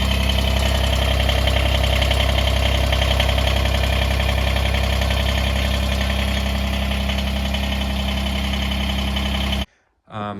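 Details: Kubota BX23S tractor (bought 2022) after replacing weak factory grill guard latch: small diesel idles with a firm steady hum and even rhythm, no grill guard rattle, then shuts off.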